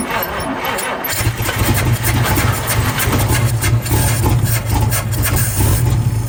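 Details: 1952 Chevrolet Bel Air 235 six, first start after about 3 years with new carburetor: brief crank, catches at about one second and settles into a steady, even low idle rumble; runs fine.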